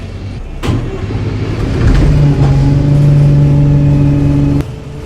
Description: Here is a clip of a Wright pulsar one kickdown ing and making strange Rev noises